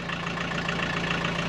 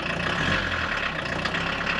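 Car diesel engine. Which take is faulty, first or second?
first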